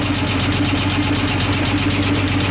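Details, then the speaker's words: 1965 Mustang after flex plate installation, running on jack stands with three cylinders on open exhaust: earlier rattle gone, but fast light ticking about five a second over a lumpy V8 idle; valvetrain tick, suspected low oil. "well the rattling is gone but you can hear that because it's one side on the open exhaust there's three cylinders that are open it sounds like a little bit of a mess that is definitely ticky"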